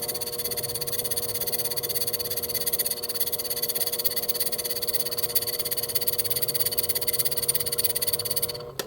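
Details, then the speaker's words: Lathe facing a universal bench block: steady high tool whine with light regular ticking about three per second, an interrupted cut because the face is not yet flat and only part of it is cut. "You can hear that sound difference when it's interrupted cut versus a solid cut."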